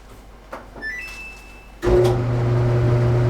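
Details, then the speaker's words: Home clothes dryer after repair and reassembly with new parts: startup beeps, then motor starts and hums steadily with the drum turning smoothly; normal drum running. "Voila! I like that sound. I wasn't hearing that sound 2 weeks ago. Now the dryer is back and in operations."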